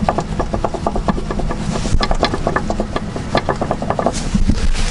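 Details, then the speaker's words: 2004-07 Honda Accord/Acura TL/TSX upper control arm popped loose by hand with ball joint tool: rapid dry creaking and clicking, four or five a second, from worn bushing and ball joint showing excessive play. "basically when you squeeze it it'll just apply pressure and pop this control arm up and you can hear the noise from this bushing this ball joint"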